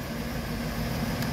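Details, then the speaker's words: Car idling after a new water pump, tensioner pulley and idler pulley (old pump bearings had failed, pulleys loose and noisy): low, even, smooth hum with no squeal or rattle; normal idle, much quieter now. "it's idling so much quieter and smoother now"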